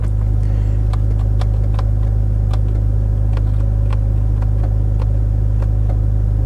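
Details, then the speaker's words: Cheap BMW Z3 that sat on a driveway for years, idling: sharp irregular relay clicks, a few per second, over steady idle hum; power windows and roof dead, owner suspects a fuse. "right my windows don't work you can hear something clicking some sort of relay clicking but they don't work"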